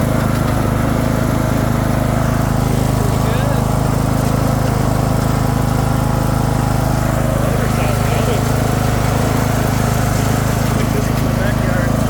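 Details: Craftsman II lawn tractor with swapped newer engine, key switch bad: steady, even low drone with no misses, surging or knocks; normal running.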